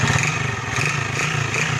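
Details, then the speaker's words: Honda TMX 155 motorcycle single revved up and down: loud harsh clatter over exhaust note rising with revs; excessive engine noise, engine opened for repair. "Oh, maingay nga. Oh, maingay. Sabay-sabay na nga palang sira. Maingay mga idol, oh. Ingay, sobra."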